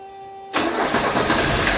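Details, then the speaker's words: 1982 Mercedes 240D after valve adjustment and throttle linkage shortened to raise idle a couple hundred rpm: engine catches at once and settles into an even, steady idle with no shake, miss or engine vibration; normal idle. "that's much better isn't it is nice so look how smooth that's idling you guys see there's no not even a vibration on the engine"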